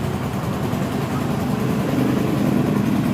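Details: 2011 Yamaha Jupiter MX, carbureted, after faulty stator-to-CDI wiring was repaired, now pulling fine on climbs: steady, even low putter with no stumbles or misses; smooth normal idle.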